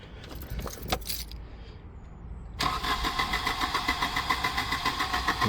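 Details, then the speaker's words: 1988 Volvo 240 with K-Jetronic injectors, fifth injector removed: steady starter cranking at about 3.5 beats per second with no firing, injectors now audible. Crank, no start; owner suspects the cylinders are flooding with too much fuel, reason unknown. "Not even a smidge. I can actually hear the injectors now, though. I couldn't hear that before. There's our culprit. It's flooding the cylinder with uh way too much fuel."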